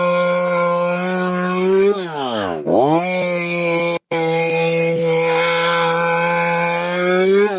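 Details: STIHL MS 192T chainsaw after repair of no-run/won't-stay-running fault from bad gas (new fuel filter, fuel pump, cap, cleaned fuel): crisp two-stroke buzz blips up and returns to steady idle twice, healthy.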